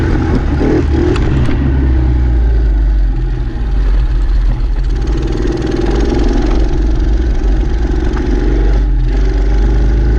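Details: Dumpster-found Chinese 48cc quad with new fuel lines, started by jumping the starter solenoid since the key is disconnected: runs strongly, picks up cleanly when revved and steadies again without misses or sputters; runs good.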